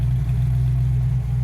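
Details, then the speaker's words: 1969 Ford Mustang V8, transmission just installed, first run in over 40 years: even steady idle with no misses but slightly fast; owner plans to adjust the carburetor, vacuum about 14, cause not confirmed; high idle. "I feel like the idle's just a touch high,"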